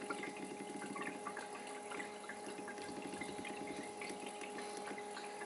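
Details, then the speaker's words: Bobil Vans water heater using the diesel heater in a Mercedes Sprinter van conversion, controller on H, set point reset to 60 degrees: even mid-pitched circulation pump hum with faint water trickling, no rattle or grind; pump running normally. "The water controller should be on H, so it actually heats the water and it kicks the pump in when it's at that set point."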